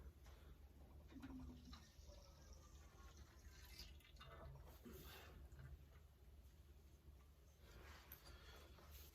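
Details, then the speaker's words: 1977 Maico MC440AW front fork rebuild with rechromed tubes, no spring fitted: quiet wet gurgling and swishing as fork is compressed and extended to cycle new oil through damper rod and work out air; normal. "the way we do this is basically we fill the fork and then compress and decompress it a few times. You can hear that as that goes up, the oil sloshing around"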